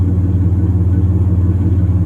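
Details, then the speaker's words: 1996 Chevrolet S10 ZR2, 4.3L Vortec V6, just restarted after cleaning the distributor cap and rotor of corrosion/moisture that caused rough running: even, steady idle with no stumbles or misses; fixed. "all right everything seems to be working well let's take for a quick test drive and see what it does"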